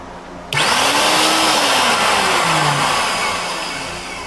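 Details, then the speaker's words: Ridgid belt-drive air compressor running with a broken drive belt: the motor spins up to a loud fan-like whir with shifting tones and no pump thumping, only the small spindle turning, so nothing is compressing. "It's just super loud and it sounds like a fan because this little this little spindle is the only one spinning. It's not actually pumping."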